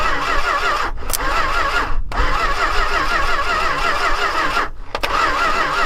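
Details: Long-neglected Dodge stepside truck with new plug wires, ignition switch stuck on: steady, even cranking with regular compression pulses, stopping and retrying, but the engine never fires; a lack of spark, possibly from wiring, is suspected.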